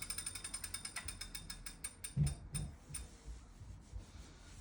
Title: Wahoo Kickr clicking noise